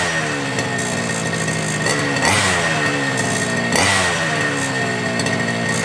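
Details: FG Marder petrol RC car, two-stroke, started without choke after a couple of primes, following front-end repair and brake/throttle linkage adjustment. Holds a steady buzzy pitch and revs up cleanly twice without stumble or misfire; running healthy.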